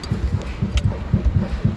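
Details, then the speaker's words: Ford Ka (2015 onward), 1.0, with original front shock absorbers, body rocked by hand: dull, low clunks in quick, even pairs from play in the shock absorber rod, not a leak and not the stabilizer link. "isso aqui é folga de haste do amortecedor não é amortecedor vazando tá é só folga"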